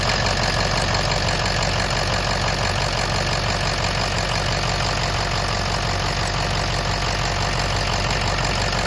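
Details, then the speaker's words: Ford 6.0 Powerstroke diesel with yielded bolts on the high-pressure oil pump discharge fitting: steady even idle clatter about three beats per second, no misses, knocks or surging; truck sounds good. "truck sounds good though what do you think"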